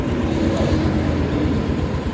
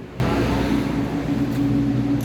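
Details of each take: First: Yamaha Mio S40 scooter after replacing drive face pulley, assembly and belt; previously very noisy CVT now normal: even low drone, no squeal or rattle. Normal CVT running. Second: Yamaha Mio S40 scooter, freshly cleaned CVT (panggilid) noisy and whining: revs into steady droning hum with tonal whine from belt drive.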